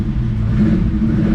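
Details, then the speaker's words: Ferrari 365 GTC/4 V12 ice-cold start after carburetor strip-down fixing non-functioning accelerator pump jets, lids off: pulls up cleanly with a deep steady rumble, crisp on throttle; way more responsive than before repair. "gas it's ice cold but way more responsive"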